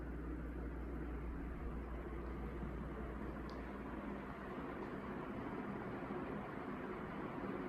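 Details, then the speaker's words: 1981 Evergo 36" industrial ceiling fan, model 3E-6, cast-iron motor, control about a quarter up: soft, steady low hum and even air rush, no rubbing or wobble. Slightly faster than lowest; normal, zero-wobble running. "it's a slight increase in speed this control slightly has a an exponential curve where the more you turn it the faster the speed increases it's a very marginal increase from the lowest speed but you can definitely tell the difference in airflow"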